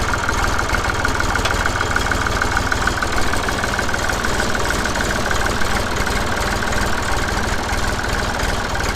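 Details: Massey Ferguson 35X diesel tractor at 800 rpm after fitting the new QTP silencer: steady, even low diesel chug through the exhaust with no knocks or misses, sounding the same as the original; normal idle.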